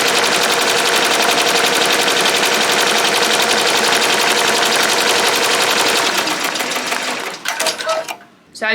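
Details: Ricoma MT-1501 embroidery machine on a hat: fast, even rattling stitch run for several seconds, then stops and short beeps sound; running normally.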